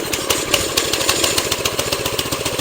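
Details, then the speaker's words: Honda GX160 single-cylinder engine on a Tru-Cut C-25 reel mower, just started after carburetor replacement to cure surging, barely warmed up: steady even putter at idle with no surging or hunting. "I'm I'm already I'm still at this idle sounds perfect now let's go ahead and give it some throttle"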